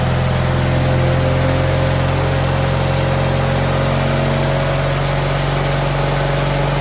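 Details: GT18 garden tractor twin, carburetor refitted and repairs done, air cleaner still off: steady, even drone with a smooth low throb at constant throttle and no misses; much better than before, when it flooded and chuffed smoke past half throttle once warm.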